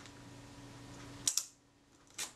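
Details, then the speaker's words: Kodak Retina IIIc shutter at 1/8 s, just after the slow-speed gear train was moved in and recoupled to the pinion: two crisp clicks with a short buzz between; escapement now runs cleanly, normal slow shutter speed. "sounds better and the 15 yeah that sounds good"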